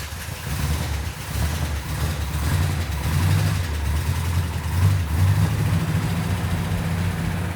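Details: V8 after timing set and fluids topped off: deep loping idle holding steady with faint occasional stumble; sounds good with only a slight miss; normal idle.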